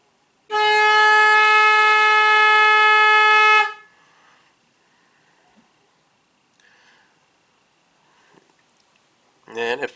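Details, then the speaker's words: 2006 Chrysler PT Cruiser, horn triggered by a Launch X431 scan tool's body control module actuation test: a steady, strong horn blast holds one clear pitch for about three seconds, then cuts off cleanly; horn circuit works normally. "got fuel pump under body control module AC clutch horn I know you'll be able to hear that"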